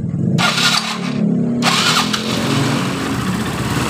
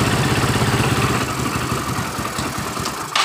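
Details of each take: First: Yamaha Mio Soul scooter reassembled after being totally dead, valves adjusted: fires after brief crank and settles into a steady even run with a slightly coarse whir from the starter/generator area; runs normally. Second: Yamaha Mio Soul scooter reassembled after total failure, steady quick idle with coarse gritty rasp from the generator (dynamo) side; rough magneto/generator noise.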